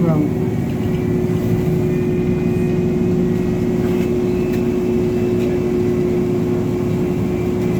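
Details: Orion VII NG diesel-electric hybrid bus, Toronto transit: a steady mid-pitched buzz holds unchanged over the bus's running drone for the whole stretch; the source of the buzz is unclear.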